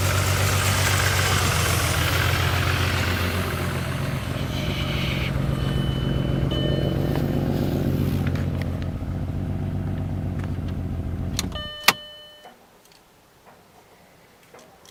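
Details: 2000 VW Jetta VR6 MK4: rough idle with a regular stumble in the exhaust beat until shutdown, then a few ticks; bad misfire on one cylinder.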